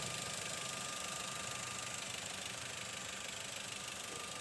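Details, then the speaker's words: 2004 Toyota Avanza 1.3 G manual, recorded close up at the engine: idle holds a steady, even run with a light, regular ticking on top and no knocks or misses; smooth, healthy engine. "Dan inilah mesinnya teman-teman, bisa kita lihat ya. Dan untuk suaranya masih halus. Nih, kita coba dengarkan lebih dekat lagi ya."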